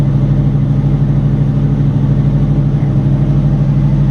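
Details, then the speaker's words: Fox body with two chambered Flowmaster mufflers (2 or 2.5 inch), cold start on high idle, fuel low: deep steady V8 burble at raised cold idle, even lope about two pulses a second, no misses. "got you guys a cold start take it off the uh high idle here in a few seconds and then just let it warm up"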